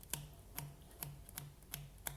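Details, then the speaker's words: Ducati 749 Testastretta cam belt change, belt fitted but untensioned, turned by hand: six sharp plucks about twice a second, each a short low twang near 150 Hz; belt still slack, target tension 110 Hz. "there you can even hear they twang a little bit so I'll just put a little bit of a nip on that"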